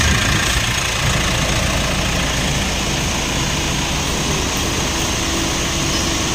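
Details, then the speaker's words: 2016 Mitsubishi Montero Sport diesel, after replacing the failed alternator bearing: even, steady idle clatter with no whine or rattle from the engine front; noise gone, sounds healthy. "Ah binabay wala na po yung Wala na po normal na lang ng tunog ng makina"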